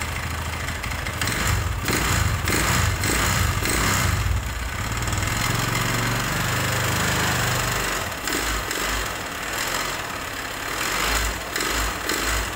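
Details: Megapro motorcycle engine: harsh, dry clattering rising on throttle blips, settling into rough idle; suspected oil starvation with low oil, possible piston slap and connecting rod wear.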